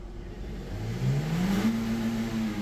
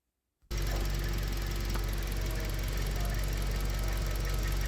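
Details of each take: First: 2015 Toyota Corolla Grande 1.8 petrol, 149,000 km, after full tuning and clearing an ignition coil 1 code: engine revs up smoothly and evenly, climbing in pitch without misfire or stumble; normal revving. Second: 2015 Toyota Corolla Grande 1.8 petrol, 149,000 km, idling with an uneven, lumpy beat about four times a second: one cylinder misfiring from a faulty ignition coil, also causing jerking and poor pickup; wiring ruled out.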